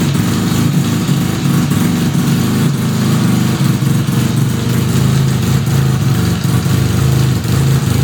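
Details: 1975 Suzuki RE5 rotary motorcycle just after full restoration: idle with steady low drone and faint mechanical hum underneath; transmission noise present, cause unknown.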